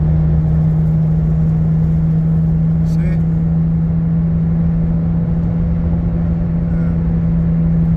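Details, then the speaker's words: Car cruising at about 60 mph on the highway: a steady low drone under road noise. Owner first suspected a dragging brake, now suspects a wheel bearing; noise starts after 35 miles (as stated). "I thought that this is a brake dragging, but looks like the bearing. It does start after 35 miles."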